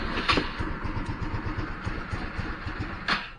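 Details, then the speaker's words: GY6 150 scooter after a week parked, battery and spark plug checked good: uneven, labouring putter after start, rpm sags and engine dies; can't hold idle and stalls; owner suspects carburetor problem. "so turn it on trying to start start rpm struggling and this turn off it's trying to start again"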